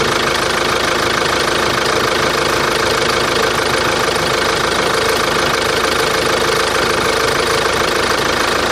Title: Посторонний шум двигателя Antara.